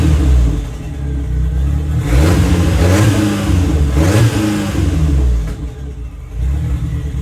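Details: Steady four-cylinder idle revving cleanly twice and settling without pops or stumbles from the '59 Mercedes body on an '87 Ford Thunderbird Turbo Coupe chassis. After an overlooked fault was fixed it no longer backfires or misfires on revving and runs properly.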